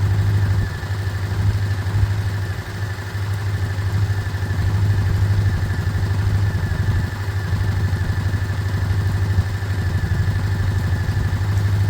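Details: Single-cylinder Chinese 125 motorcycle (Lexmoto Michigan or Herald Classic 125), said to be practically done, warming up to circulate oil. A steady, even low putter at idle with no knocks or misses. It is a normal idle.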